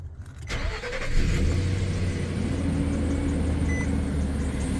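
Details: 2016 Nissan Frontier 4.0 V6, 59,000 miles, sat unused for a couple of years: engine cranks, catches and idles with a faint steady whine and an odd chirp; failing alternator, being replaced.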